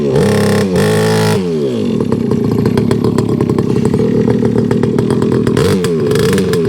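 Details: Rebo ATV quad bike, pulled from a recycling centre before being crushed, now running after a cheap fix, choke just turned off: small single buzzes, then settles into a crisp, even run with clean rev swings and no misfire. Quite pokey for a young child to ride; healthy running.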